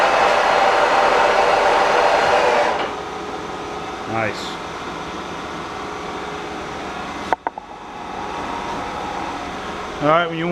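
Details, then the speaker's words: K&T milling machine, first run after restoration work: spindle at 1660 RPM, then winding down evenly after the master stop. Smooth, clean whir with no grinding or knocking; it runs normally and sounds good. "so you can see that the columns and the machine itself is actually running it's running good it sounds nice and I think we're good we got a good mill on our hands here"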